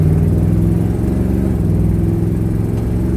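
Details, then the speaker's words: 1967 Dodge Charger with a mildly warmed-up 383 H-code V8 and automatic transmission, heading to a dyno: loud steady rumble with a light exhaust tick underneath, possibly with something more than the tick mixed in. "You can hear, I mean, it seems like it's got a little something other than the exhaust tick."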